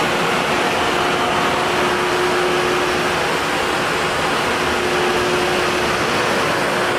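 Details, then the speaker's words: 1984 Honda Saber VF700S radiator cooling fan running with a steady, even whoosh and faint hum, no rattle or rubbing. The fan never switched on at about 214°F, so the radiator temp sensor was unplugged and jumpered; the fan works and temperature came down. "so what i did was just unplug the temp sensor right here on the radiator put a jumper wire in it the fan does work and temperature came on down"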